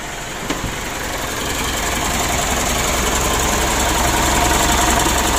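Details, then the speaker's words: Mitsubishi Pajero Sport Exceed diesel, cold after sitting three days, started after an oil and filter change: rough idle clatter with a steady tick about 3–4 per second from the engine front; not from the camshaft; tensioner or idler bearing suspected. "ini mesinnya Masih dingin ya di sini terdengar suara cecak itu temen mungkin teman-teman bisa mendengarnya ya"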